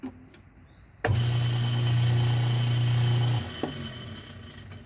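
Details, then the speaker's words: Washing machine on spin: loud low motor hum starts, holds two seconds, cuts out with no drum spin because the motor coupler is broken. "Oh, this got a broken coupler. So it'll fill with water, and"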